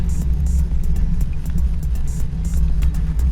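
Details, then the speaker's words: 2019 Hyundai HB20S Premium automatic sedan, in the cabin on cobblestones: steady low rumble with irregular high ticks; tire and road noise carried into the cabin through hard plastic interior trim. "mas em compensação tudo que acontece com o carro ele é irradiado para dentro da cabine você escuta bastante é o pneu nosso filho paralelepípedo"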